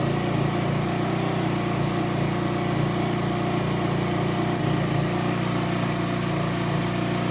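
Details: Aprilia SR50 Purejet with Piaggio engine after rebuild, fitted with original cylinder and piston: steady even two-stroke buzz at constant speed with no misses; now starts well and reaches 9000 rpm, running normally.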